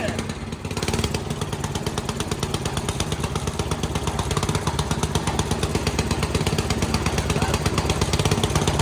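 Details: Dad's old concrete mixer small single engine, after carburetor jets cleaned, pull-started; pops along at a quick stumbling, uneven beat, running rough and sputtering, sounding like it needs a tune-up.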